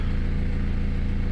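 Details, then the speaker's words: Ford E150 van, 2.8 turbo diesel, 341,000 km, sat outside about 10 months, started right up on a new battery: even, steady diesel clatter at idle with no misses or knocks; idling smoothly and healthily. "so the good news is this starts right starts every time drives every time 2.8 turbo diesel 341,000 km on the clock"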